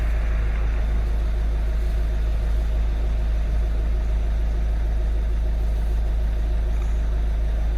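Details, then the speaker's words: Citroen C4 Grand Picasso 1.6 HDi turbo diesel, microphone at the exhaust: deep, steady drone with an even low pulse and no knocks or rattles; normal healthy diesel idle. "That is how noisy my diesel engine is."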